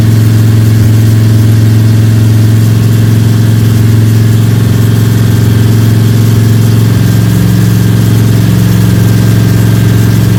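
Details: Freshly built Ford 302 Cleveland V8 with Holley Sniper and new electronic distributor, first start, fast idle for cam break-in (~10–15 min), timing thought to be around 31°: smooth, even idle, deep exhaust note, no lifter ticks or rattles; normal fast idle.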